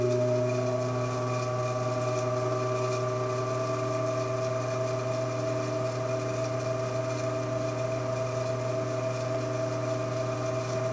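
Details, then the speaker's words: 1948 ILG 213 exhaust fan motor on high speed: steady electric hum at a fixed tone that never climbs to its rated 1140 rpm, sounding stuck on the start winding. Low speed ran smoothly; cause not confirmed. "doesn't look like 11 40 rpm to me at all in fact it sounds like it's just sitting on the starter mining so i'm not going to run that too long just to be on the safe side"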